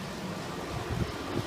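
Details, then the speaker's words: 1994 unbranded 2.5-ton central air conditioner outdoor unit with A.O. Smith condenser fan motor and Bristol reciprocating compressor, on a hot humid day; loud rushing fan roar with uneven rumble and throbs, fan very noisy and vibrating. "yeah the Fan's very noisy yeah and and it's vibrating too"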